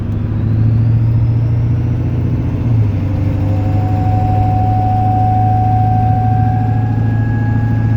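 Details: 1996 Ford OBS 7.3 Powerstroke diesel: a steady rumble with an annoying thin ringing chime from the dash that rises in pitch as rpm or throttle increases; the cause is not yet found.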